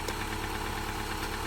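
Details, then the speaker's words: Subaru Forester boxer engine, freshly installed and warmed up, idling steadily and evenly with no clear knock; the knocking heard earlier quieted down, and the owner thinks it is just slight piston slap. "but the engine quieted down a lot. I think it's just got slight piston slap because I don't hear it anymore."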